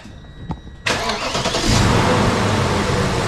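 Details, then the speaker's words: BMW X5 V8 starting after overdue spark plug change with iridium plugs and coils refitted, one bank previously bad: quick crank, catches cleanly and settles into an even, steady idle with no misfires; normal start. "Woo. Easy. Smooth. No misfires."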